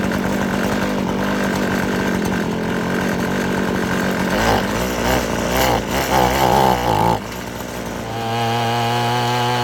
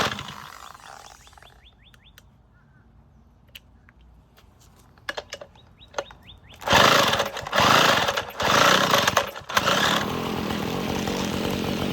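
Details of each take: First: Abandoned weed eater after crimping the wrong-side fuel line so it draws only from the correct side: high two-stroke buzz revs up and settles back to steady idle without bogging; running as it should. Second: Abandoned weed eater, shaft reconnected, kill switch and throttle cable disconnected: two-stroke surges briefly then drops to a ragged idle; still won't run without choke.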